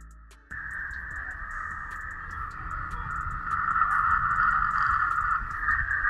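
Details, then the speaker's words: Victron SmartSolar 75/15 MPPT charge controller powering an HF ham radio: steady raspy hash with fast rhythmic ticking buzz on 10 meters; switching RFI from the charge controller swamps the band for weak-signal work. "we can argue if Tim meters is any better but really from a weak signal perspective the noise from this charge controller shuts down the entire band"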